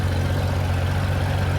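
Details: 1994 Honda GL1500 Goldwing Aspencade after aftermarket fuel pump replacement, running 20+ minutes and warm: deep, steady, even idle, no knocks or misses; normal warm idle, zero smoke.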